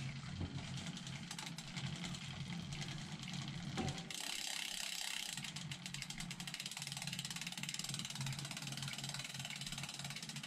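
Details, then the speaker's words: Cube Hybrid e-bike after 3,000+ miles, riding on a quiet road: light dry ticking in step with each pedal stroke from near the motor, only the ratchet heard when coasting; cause unclear. "Can you hear that ticking? Tick, tick. But that sounds as though it's coming from the bike."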